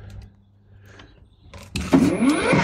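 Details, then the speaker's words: Parkside 40V mower on two batteries, unboxed after service error, earlier suspected something blocking blade; motor spins up with smooth rising whine to steady high hum, no rattle or scraping; normal, eco mode thought to spin slower. "donc le moteur fait le bruit normal doucement doucement doucement"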